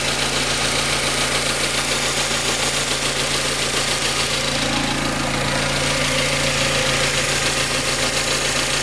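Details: Mazda MX5 Mk3 engine at idle, recorded static, with a fast, light metallic rattle of about three or four taps a second over the idle; source undiagnosed.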